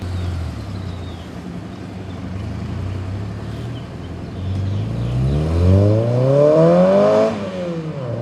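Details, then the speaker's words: Civic Si (EP3) with JDM K24a2 swap, 3" quiet exhaust with twin loop muffler and dual tips, 91 octane tune; drive-by on a side street, shifting slowly for new-clutch break-in: smooth rising revs, clean even exhaust note, no misfire. Normal. "It's definitely got a nice sound to it. Yeah, it does. So we're not going crazy with it, as you can tell."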